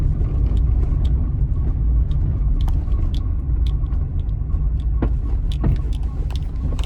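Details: 2015 Hyundai HB20 1.0 three-cylinder, 48,000 km, on a cobblestone road test with noise heard near the brake pedal: low road rumble with sharp, irregular heavy thuds from under the suspension over bumps, caused by just a loose subframe bolt.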